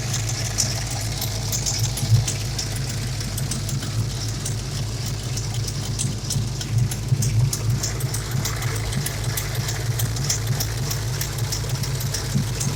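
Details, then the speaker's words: 351 Windsor SVO V8 hot rod after valve lash adjustment: lumpy idle with faint uneven ticking puffs over the rumble at steady speed; driver's side header gasket leaking, probably around six, plus a passenger collector gasket leak. "i do notice that this past the driver's side um header gasket um is bad you know there's a leak probably around six i would say"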